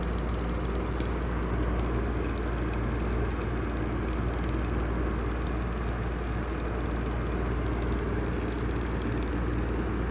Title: Heller style 2 exhaust fan with bad bearings